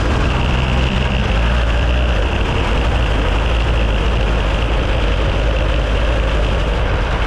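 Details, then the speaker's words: Deadpool go-kart on its first ride-around after an afternoon sorting the mechanicals: a steady deep drone at full speed with no misses, knocks or rattles, small engine pulling cleanly under load. Everything felt tight; the brakes stick slightly and need a new spring. "that passed for flying colors everything felt nice and tight she goes full speed"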